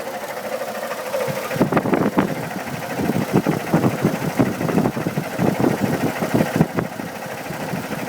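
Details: 2002 Chevy Trailblazer at idle: loud, uneven clattering ticking/knocking several times a second, owner thinks from the fan (clutch changed two years ago); oil pressure checked, codes P0105 and P0420; source unclear.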